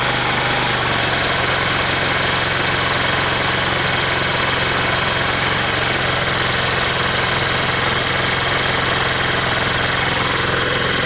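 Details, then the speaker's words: 150cc scooter racing erratically at idle with no throttle, revs uneven, rear wheel spinning fast. The idle screw was turned way up to stop stalling; a vacuum leak is suspected but not yet found. "and I can't get the idle right every time I just the idle all of a sudden it goes up like crazy so it has the symptoms of a vacuum leak"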